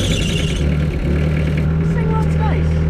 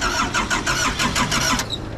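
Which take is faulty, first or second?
second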